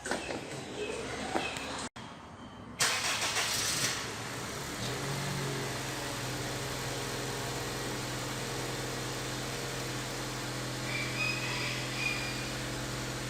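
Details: Honda New Civic that whistled on acceleration, after the exhaust was replaced: cranks and catches, then settles into a steady even idle with no whistle or rattle; noise gone, normal idle.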